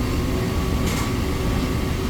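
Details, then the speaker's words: Brand-new R290 refrigerator, condenser fan after replacing the vibrating motor with an OEM one: steady, even low hum running quietly, with no rattle or vibration noise. "there we go it's running nice and quiet so there's just some weird vibration in this motor causing that issue"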